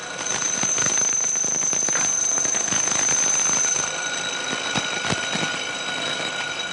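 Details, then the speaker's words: Lathe turning a long part cantilevered out of the chuck jaws: loud high ringing squeal then rougher scraping as the cut nears the end, vibration (chatter) worsening with overhang. "as we get out towards the end of the part this cantilevered out of the jaws you can hear more and more vibration you can imagine that that gets worse and worse as the part gets longer and longer"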